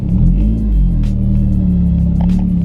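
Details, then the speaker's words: Honda S2000 running on the open test pipe with the old exhaust removed before fitting an ASM 70 mm titanium exhaust. Loud, flat, blatty drone under throttle with a crude uneven rasp; everything in the car rattles. "sounds like a bunch of farts oh my God everything is rattling in my car"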